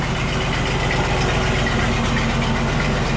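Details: Land Rover 101 Rover V8 after belt tensioner pulley bearing replacement: smooth, even idle with steady low burble, no knocks, ticks or belt squeal; engine healthy.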